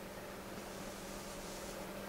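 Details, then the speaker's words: Noctua NF-P12 120mm PC fan on a bench supply at 12 V, 0.09 A, about 1300 RPM: soft even airflow hiss with a faint steady hum, no ticking or rattle. It needs a higher starting voltage but runs very quietly. "so it does have a higher starting voltage but it's so quiet that it doesn't really matter very quiet fan also moves a pretty good amount of air"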